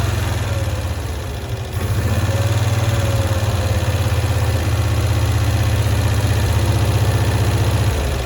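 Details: 1965 Cushman Truckster small twin, sitting one year, after freeing a stuck screw and valve: steady, even putter at about three beats a second with no stumbling or hunting; idles properly now.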